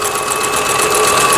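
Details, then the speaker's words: Toyota Grace 500 household sewing machine, about 25 years old and long unused, after repair and rethreading: straight stitching (setting 5) on fabric via pedal; quick, even whir with steady needle ticking, no knocks or grinding. "그러고 나서 페달을 밟으셔야 됩니다. 5번의 직선 바느질이 되겠습니다."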